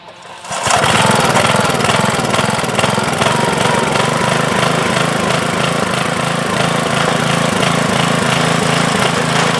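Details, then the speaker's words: 1992 MTD rear-tine rototiller, 5 hp Briggs & Stratton, after replacing the failed tine control cable, cover still off: engine catches at once and settles into steady, brisk, even chatter with no stumbling; normal running. "beautiful excellent so we're back in business"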